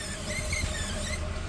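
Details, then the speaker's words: Toyota GX460 in low range, stock configuration with A-TRAC on, at 10 mph wheel speed: low rumble with short squealing pulses as brakes grab the spinning wheel; A-TRAC brake LSD actuating normally. "So 10 miles an hour, Charlie. A-TRAC's working. Listen carefully, you can hear it actuate."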